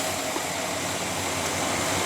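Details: Pink Cadillac with original never-rebuilt engine, repaired after an engine fire with new timing chain and gears: steady, even idle with smooth low rumble, no knocks, ticks or squeals; sounds healthy.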